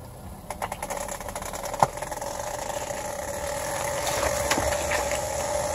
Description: Figured it out! its the CV boots that are making a rubbing/screeching noise on my 2017 Honda civic.